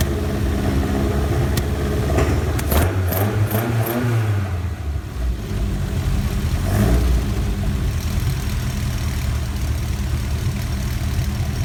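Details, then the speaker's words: Ford Kent Crossflow 711M with Dellorto carbs, just fitted with AccuSpark electronic ignition, distributor cap rotated 180°: lumpy deep idle after first-crack start, light tapping and occasional pops spitting back through carb throat; owner suspects rockers need adjusting. "Spitting back a little bit through that front throat of the car, and I can hear a little bit of a tapping noise, so I think it might be rockers need adjusting."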